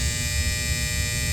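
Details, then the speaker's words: Seasons 4 store HVAC unit, supply blower running (inverter failed), drawing 28 A: steady blower with constant electrical buzz on top; contactor vibrating and humming, needs replacing. "I don't like it when they chatter. Not chatter, but I don't like it when they vibrate like that."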